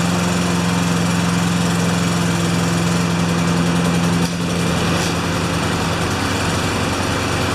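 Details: Honda lawn mower small engine after tune-up (blade sharpened, oil changed, spark plug cleaned, new air filter) runs steady and even with a smooth firing beat, settling slightly as the choke comes off; sounds healthy.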